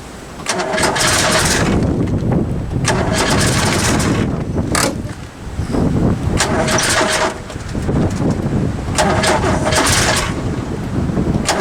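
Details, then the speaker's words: Ford Capri at -8 degrees in Ohio, after carburetor adjustments (idle mixture leaned, idle setting and choke backed off from over-choking): long cranking bursts with pauses, engine spins but never catches; a hard cold start. "so we're gonna do a cold weather test see if this thing will start at negative eight yes negative eight"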